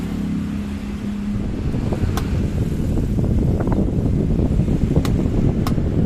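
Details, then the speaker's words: Maspion standing fan modified with full bearings and a Miyako blade, speed 1 (fastest): strong steady rush of air over a low even hum, no rattle, scrape or grinding; fan running smoothly. "Speed 1 ini paling kenceng ya teman-teman. Halus banget suaranya."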